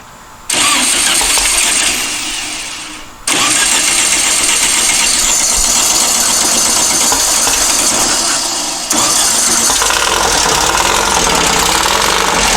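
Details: Long-stored dune buggy/sand rail, timing mark aligned at the crankcase split on number one, distributor bolt loosened to set timing: cranks, catches, runs loud and ragged, stumbles and dies, then restarts; timing suspected, not confirmed.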